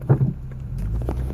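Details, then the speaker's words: 2006 Lexus ES 330 pulling away: low engine drone with loose, uneven tapping rattles, occurring from 0 to about 20 mph when stepping on the gas then stopping; battery terminals cleaned, charging seems to work, rattle source unclear. "so I don't know it looks like it's charging but I still don't like that noise that it's making like a rattling [Music] noise and you know eventually it's going to go down obviously"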